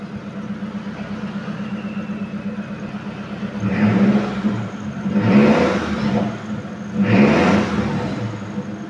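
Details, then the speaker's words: 2015 Mitsubishi T120SS 1.5 pickup, used. Revved to 3000 rpm: clean rises and falls over a steady idle, no metallic, piston or piston-ring noise, no misses or rattles; no exhaust smoke. Engine in good condition, revving healthily. "kita geber sampai RPM 3000 aman suaranya enggak ada suara yang aneh-aneh enggak ada suara metal enggak ada suara ring seher atau suara seher e yang lain-lain semuanya itu enggak ada yang mencurigakan"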